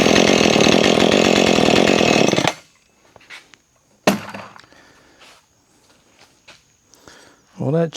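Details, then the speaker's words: Husqvarna 440 chainsaw that wouldn't rev up, after clearing trash from the carburetor jet, test run with a freshly sharpened chain. Strong, steady high revs with a crisp buzz for about two seconds, then clean shutoff; normal chainsaw running. "Got a little slack in the chain on the test run there, but other than that, she's good to go."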